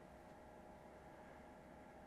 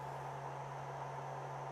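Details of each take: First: Steam Machine-style gaming PC with RTX 5060, cold start at idle, mic placed close: soft steady whoosh with faint even hum, no rattle or pulsing; very quiet, healthy fans. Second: Small Steam Machine-style gaming PC under load: the GPU is near max temperature with its fan at about 4,200 RPM, its loudest, and the CPU is in the 70s °C and still rising; a constant airy rush over a steady low hum.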